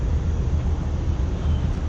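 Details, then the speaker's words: Rooftop HVAC unit blower: deep, uneven low rumble with wobbling throb, sounding like it's shaking; blower motor belt loose, stretched and separated, about to break; belt replaced. "oh I hear the rumble I hear the Rumbles at the condenser fan of the blower motor something is not spinning correctly"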